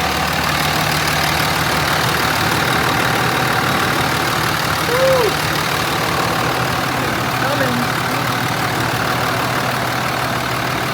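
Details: Salvage 2006 Dodge RAM 3500 Cummins 5.9 common-rail diesel, first start, check engine light on: steady, even diesel clatter at idle, no misses or knocks; smooth, healthy idle.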